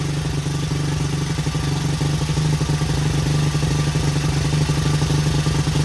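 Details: 1977 Honda XL75 single, long-stored, first start without a carb clean, choke on: steady putter, firm low drone with light top-end clatter, no misfire; runs pretty good, not smoking, float bowl dribbling, bowl gasket suspected.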